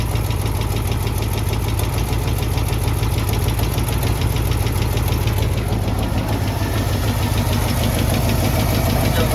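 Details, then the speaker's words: AMC 327 V8 in a Jeep, warming up at idle in about 30°F weather just after exhaust manifold gasket replacement. A steady, obvious knock of about three blows per second, sounding like a thud at the oil pan. Valvetrain and pushrods were checked fine; owner suspects a main bearing. Cause is unconfirmed. "But now that it's so quiet, I'm sure you could tell it's knocking. It's got a very obvious knock."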